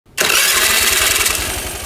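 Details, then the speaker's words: Honda Vario 110 carburettor scooter fitted with an H4R racing starter motor: crisp, even starter spin that catches in one short burst, no grinding or drag; starter motor turning smoothly. "halus kan suaranya ya Mantap ini tuh enak ya"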